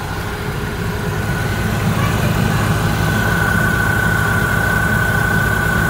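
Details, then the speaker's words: Opel Astra G after replacing the faulty multi-rib belt tensioner, idling with AC on and fan at maximum for electrical load: even idle, no chirp, squeal or tensioner rattle; belt drive now quiet and fixed. "Tôi đã nghe thấy rằng im lặng là mọi thứ đang hoạt động hoàn hảo"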